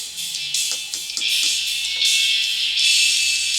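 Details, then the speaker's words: Radio Shack Optimus Pro 7 speaker playing music sounds thin and tinny, all treble with no bass; only the tweeter works, and the woofer cuts in when the speaker is pressed, from a broken braided tinsel voice-coil lead. "let's look this one up and this is what this one sounds like that there there's just the tweeter working"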